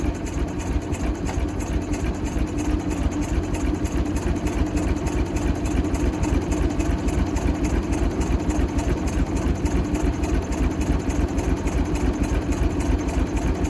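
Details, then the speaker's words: Michigan 35A wheel loader, Continental six-cylinder gas engine, sat for years, fuel tank primed: a low, lopsided thumping idle, as if some cylinders aren't pulling. It won't take off; stuck valves suspected and two of three checked cylinders are weak. "we'll had it running but didn't want to take off and go definitely think it's got a few stuck valves"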